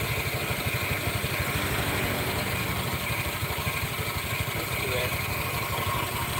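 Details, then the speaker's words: Honda Vario scooter, engine running with rear wheel held: rough crunching rumble from the CVT that disappears when the wheel turns; worn CVT pulley bearing, smooth again once the bearing was removed. "Oke kalau rodanya ditahan suaranya krosok rongsok rongsok rongsok rongsok tapi kalau rodanya ikut muter suaranya hilang"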